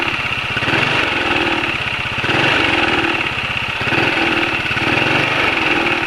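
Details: Motorcycle idling after an oil change to Ravenol TSi, made because engine noise was growing (attributed to piston-cylinder friction, feared fuel dilution): even, steady idle with a quick regular beat and light hiss, no rattle or tapping. Running smooth.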